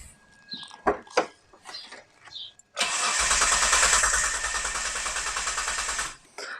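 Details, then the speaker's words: 1997 Mitsubishi Legnum with replacement engine, after adding bridge wire for suspected bad injector ground: starter spins steadily about three seconds without firing; spark now also lost. Crank no start. "Well, obviously that didn't work. I went to retest spark and it seems like I've lost that, too."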